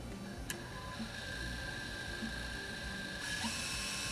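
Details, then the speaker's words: Secondhand Canon Vixia HV40 HDV MiniDV camcorder, second tape (previously spliced) after first was eaten: quiet steady mechanical whir with faint constant tone, no grinding or snagging; tape rewinding normally, playback still to be tested. "it's actually rewinding now so the true test of course will be to see if it plays"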